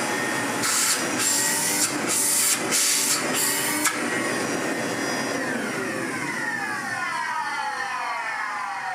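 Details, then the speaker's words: Refurbished 1970s Hoover 427 vacuum, same motor as a Constellation: steady high-pitched motor roar sweeping smoothly in pitch, no rattles or grinding. "Ignoring that bit of how this one sounds, this motor's in a lot better condition, and dare I say it, feels like it has a bit more airflow."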